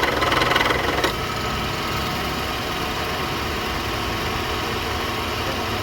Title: Noisy Car Ac Compressor Issues Found and Solved